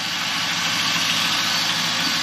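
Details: 2001 Camaro SS V8 after a new Cardone power steering pump, lines and new belts, idling while warming up toward thermostat opening: steady even idle with smooth hiss, no whine, knock or surge; sounds healthy.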